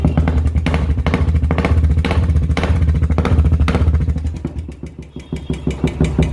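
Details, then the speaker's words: Royal Enfield Classic single with a steady tapping over the thump at about three beats a second, which started some time after a service; hydraulic tappet clatter from oil starvation suspected, and oil will be checked. "अब इसको start करते हैं, इसकी आवाज़ सुनिए, आवाज़ बहुत बढ़िया है। आज ये टन टन टन आवाज़ लगी, आवाज़ असल अंदर इतना गंदा लगा हुआ"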